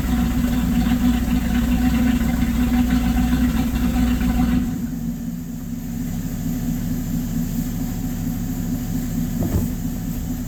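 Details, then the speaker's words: Warm LaSalle engine, phone facing the exhaust, throttle held constant at about 1/4: exhaust note surges, drops, settles lower and uneven, rough hunting; owner suspects percolator rods causing fuel starvation, unconfirmed. "that roughness was not me, or the fluctuating in speed was not me playing with the throttle. That was me holding a constant about 1/4 throttle on the car."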